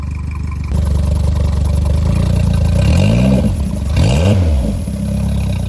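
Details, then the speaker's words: Mercury 60 CT 60hp outboard with 150 hours, swapped onto a Powercat boat. VST fuel pump refitted and running off a hose at a steady 40 PSI. Steady idle with two clean, smooth blips; the earlier fuel issue seems fixed. "Seems fine to me. That seems really good."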